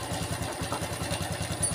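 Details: Honda Revo FI (fuel-injected) motorcycle brought in for a rough, harsh noise; idle has a fast, even clatter, about ten beats a second, with a dry crackle on top: worn, slack cam chain rattle.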